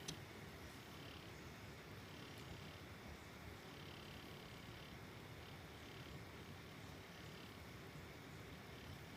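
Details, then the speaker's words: Noisy RGB gaming PC case fan after cleaning out dust and sticky old grease and lubricating the shaft: only a soft, even airflow hiss with no rattle, buzz or whine, so the noise is gone and the fan runs smooth. "Testing again – the noise is gone Only smooth airflow sound remains"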